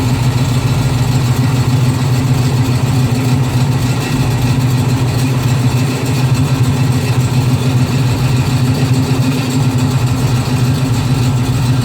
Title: Strange noise #1